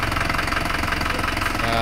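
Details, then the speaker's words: Isuzu Panther Turbo 4JA1 diesel after engine overhaul (new liners, pistons, rings, bearings, gaskets, thermostat, oil, filter), mic about 1 m from car: even clatter at steady idle, no missing beats or heavy knock. Normal diesel idle. "Nah, mesin sudah hidup, Teman-teman, ya. Mesin sudah hidup. Dan bisa kita dengarkan ini jarak dari mobil 1 m ya. Kalau yang kemarin seperti ini juga bersih suaranya enak didengar teman-teman."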